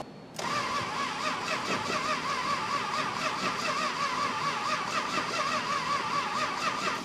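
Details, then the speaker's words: 1966 Chrysler Crown Imperial big-block, unrun for 21 years, cranking after new battery cables; starter drags the engine slowly with a laboring uneven churn, no catch; slow cranking, owner suspects high compression or the starter, unconfirmed. "Not real great, but I don't know how we're gonna make it turn over any better than that, short of hooking it up 24 volts or putting a different starter on it, or decreasing some compression."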